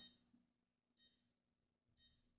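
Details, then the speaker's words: Konnected GDOv2-S smart garage door controller after a failed firmware install powered only by USB: sharp high chirps repeat about once a second in a quiet room, a heartbeat-like fault beep. "interesting. Now I've got a nice beep going. Heartbeat, it sounds like."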